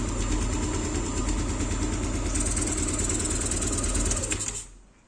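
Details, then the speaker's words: Yamaha Aerox after camshaft replacement, with the missing cam chain tensioner cap covered to stop a hiss: fast, even ticking idle with smooth steady beat and no hiss, then switched off; sounds healthy. "Kalau ditutup dia aman, kalau dibuka dia bunyi. Halus banget ya suaranya."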